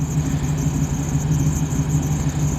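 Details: 1985 Jeep CJ-7 with LS V8 swap and high-mounted exhaust: deep, even V8 burble at idle with steady firing pulses, fairly quiet exhaust, no knocks, ticks or squeals; healthy idle.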